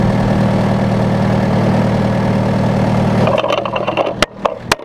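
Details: John Deere 6115M diesel tractor, about 3 years and under 1000 hours, started after replacing rubber fuel lines and priming with the fuel pump; settles into a steady, even low clatter at idle, then shuts down cleanly, sounding healthy.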